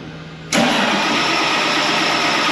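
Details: 8320 tractor with rebuilt diesel engine just installed: starter churns it over with a dense even roar but it won't catch; crackling electrical noise also suspected in wire harness, fuel filters being checked.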